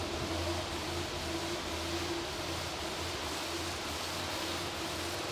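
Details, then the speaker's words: Mercedes GT63s AMG twin-turbo V8 bought from auction, first start-up with coolant issues pending: a low drone comes and goes unevenly under heavy hiss. It is running rough at idle and was switched off to avoid damage. "definitely running rough all right switch off now switch off yeah let's not damage the engine you know"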